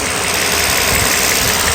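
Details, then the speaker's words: Mercedes SL600 V12 after vacuum hose leak repair, cold day: engine idles smoothly and evenly, steady hum, no knocks or ticks, balanced like a sewing machine; no more vacuum leaks believed. "the engine right now right now runs just like a sewing machine perfect evil would even with like low engine mounts you barely feel this engine sitting inside the car is absolutely not watching extremely balanced"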